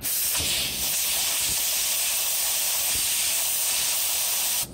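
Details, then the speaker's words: 1993–95 VW EuroVan with a fuel smell complaint, started after drying the engine area. A steady sharp hiss lasts about five seconds, then stops abruptly: pressurized fuel leaking from a cracked hose, which was then repaired. "notice this hose here this one that's the leak das leak we're gonna check everything else too obviously"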